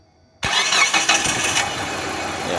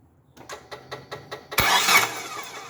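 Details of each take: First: Distributorless engine that would not start with cam position (TDC) sensor socket unplugged or poorly fitted; after reconnecting the socket, brief crank and it fires straight away into a steady even idle; normal crank and start. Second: Car with distributorless engine that would not start all day, towed in: starter churns evenly about five beats a second then a brief rough rush with no idle; damaged TDC/cam position sensor connector; crank no start.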